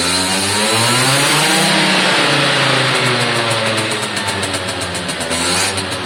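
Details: Suzuki AP50 two-stroke after carb clean, air box fitted, revved by hand (throttle cable unconnected) through quarter, half and full throttle: crisp buzz rises cleanly and settles back, no bogging or stutter; normal revving.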